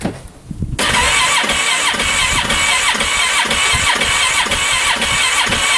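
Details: Freshly rebuilt 2015 Polaris Ranger 570, about an hour after a full engine overhaul, shut off in snow and was backfiring: steady starter cranking with an even chug and no firing. Owner suspects the fuel pump, possibly with no fuel spraying.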